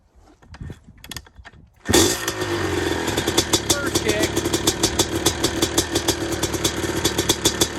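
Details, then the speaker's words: YZ250 two-stroke engine converted into an RMZ250 frame, with a Smartcarb, cold start: silence, then it fires on the first kick into a crisp, even ring-ding idle with no misses or knocks. Normal two-stroke cold start and idle. "I bet you guys want to hear it run. Let's fire it up. No cuts. We'll just do it now. I don't care how cold it is."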